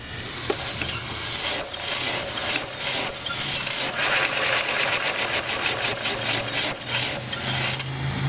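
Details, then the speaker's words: Electric-converted Dodge Daytona EV idling in neutral, car on jack stands, after sudden loss of clutch disengagement while driving: loud harsh rasping grind pulsing every fraction of a second, crunchy; clutch and throwout bearing suspected, drivetrain to be removed. "and so the noise that it makes sounds a little bit I don't know it's just it's a little loud I think for neutral and there's like grinding crunchy"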